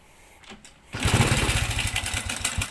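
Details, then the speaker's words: Honda Supra Fit / Revo 100 engine starting and settling into a fast idle with a dry metallic chatter over the thump: cam chain rattle from a badly slack cam chain (rantai keteng), cured by replacing the chain. "Kalau sebelumnya sangat gemericik sekali ya. Itulah perbedaannya. Jadi bunyi gemericiknya karena kamberatnya yang sudah kendur."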